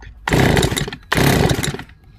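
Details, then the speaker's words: Stihl FS160 brush cutter, about 30 years old and never serviced, left over winter with last summer's petrol, now given fresh ethanol-free fuel: two pull-cord yanks, each a short rattling whirr fading with no pop or catch; cranks but won't start. "No, even shouting start you bastard's not going to work on this one, I'm afraid."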